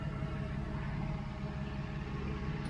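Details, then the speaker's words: 1992 Mercedes 600SEL at idle after right exhaust pipe patch repair: smooth, even low idle with steady deep hum, loud mechanical air pump audible, no knocks or misses; normal idle. "air pumps on these cars mechanical air pumps they are quite loud that is true quite annoying but it is what it is"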